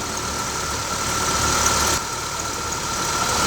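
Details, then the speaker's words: Honda Civic 1.8 16v after replacing the accessory belt tensioner and belt, which caused a knocking noise on first starts: shifted into drive and reverse, even idle with faint whine and no knocking. Normal idle after repair. "lá, mexeu de novo, colocou a ré, acabou o barulho, acabou a batedeira."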